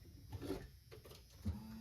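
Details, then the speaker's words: Chevy G20 conversion van with a freshened-up fuel system: after key-on a soft clunk, then a faint steady whir as the fuel pump cycles a couple of times and primes, drawing gas up from the tank. "Oh, yeah. Cycling a couple times getting pulled up here."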